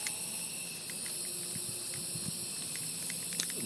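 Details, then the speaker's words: Constant thin high hiss under faint workshop clatter, never pausing: a Harbor Freight air blow gun leaking compressed air, heard while a 2015 Yard Machines 550E mower carburetor is reassembled. "my air gun is leaking my Harbor Freight air gun you can hear that air leak in the background"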